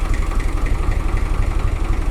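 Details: 1978 Long (UTB) 460DT diesel tractor, 43 years old, at idle after hydraulic steering and bucket ram repairs: an even, steady, low diesel chug at about nine beats a second with no miss or knock. Healthy idle. The charging light is on, suggesting a possible charging issue.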